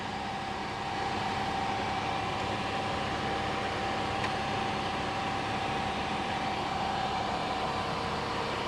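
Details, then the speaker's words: 2015 Toyota Sienna AWD 3.5L with a complaint of wheel-bearing noise at about 50–60 km/h, worsening with speed. Checking rear left and right gives a steady even hum with no growl or rumble; the rear wheel bearings are normal. "checking the the rear rear left and rear right it's quiet there's nothing"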